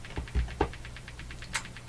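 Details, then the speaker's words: Hammarlund HQ-180 receiver motorboating through the speaker at about eight pulses per second. The oscillation speed changes with volume and incoming signal, not the RF gain. "the incoming signal is coming in and so it looks like the RF doesn't affect the oscillation at all"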